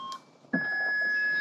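One steady high-pitched beep right after the button press while the lid stays shut; trunk release failing, cause not known.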